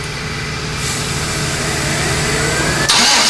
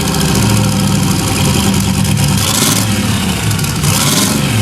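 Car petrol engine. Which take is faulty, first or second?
first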